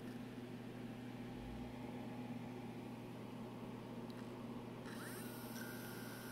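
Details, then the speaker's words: HP Omnibook laptop after new capacitors and a reset: low steady hum, then a faint high whine and soft rising sweep as the hard drive spins up normally. "i don't know if you can hear the camera but the hard drive spun"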